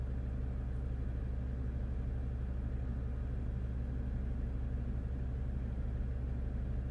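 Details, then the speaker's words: 2015 Jeep Grand Cherokee Overland Quadra-Lift air suspension, after compressor replacement, codes C156E and C15D9: loud steady compressor drone runs on but car never lifts, suspected low air mass in system. Compressor running continuously. "oh no now the compressor is running I can definitely hear the compressor running quite loud the car is not really moving anywhere"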